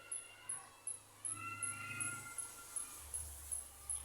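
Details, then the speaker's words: Sharp Alexander slim TV plugged in, indicator stays off; sharp high chirps two or three times a second from inside as the supply cycles without starting; fault found as a short in the horizontal section. "Indikatornya tidak menyala dan terdengar suara. Suara kicauan, ya."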